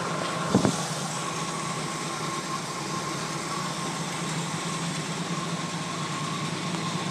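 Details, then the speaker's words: 1980 Jeep CJ5 cold start after sitting four or five days through sub-zero nights, around five degrees out: brief bump then steady even low idle, no knocks or stumbles; idling smoothly. "alright so there we go start it up even though it's been sitting for about four or five days now"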